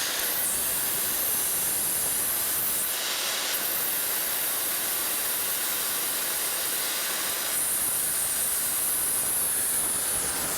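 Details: Multiplaz 3500 hydrogen plasma torch, flame stabilizing after start-up before switching to arc mode at 150–170 V: a steady, high, airy hiss with slight swells and no sputter or crackle; flame runs normally.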